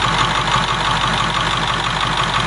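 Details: 7.3 diesel swapped in for a 6.9 IDI on a 1989 International S1600, about 3/4 gallon of fuel run through so far, all working, no fuel bowl leak: steady even clatter at idle with a regular beat, no misses or knocks; healthy.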